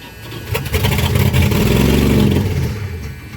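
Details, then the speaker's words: 1989 Dodge Ramcharger 2WD carbureted V8 after sitting about 14 years: catches after cranking with fuel poured down carburetor, runs rough and uneven with lumpy revs; hard start after long storage. "come on baby yes finally something making some noise he's a little unhappy but i guess that's what happens when he ain't been running the coons age"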